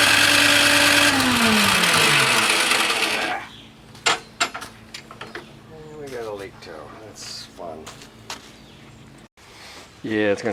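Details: Toro Power Clear 621E snowblower, 163cc OHV four-stroke single, old stabilizer gunk in bowl, leaking carb: about three seconds of starter cranking winding down, never firing; crank no start, main jet later found completely clogged.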